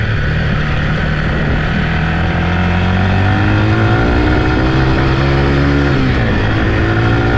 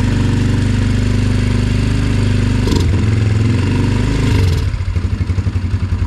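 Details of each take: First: Yamaha TT-R 125 single ridden: revs cleanly through the gears with crisp even exhaust note, pulling smoothly under load; runs good, clutch and brakes work, may need front pads. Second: Yamaha TT-R 125 single-cylinder on stale, varnish-smelling fuel, started on choke: lumpy 3–4 beat-per-second idle that sags and stumbles, won't rev; once warm it won't idle and must cool before rerunning; carburetor problems suspected.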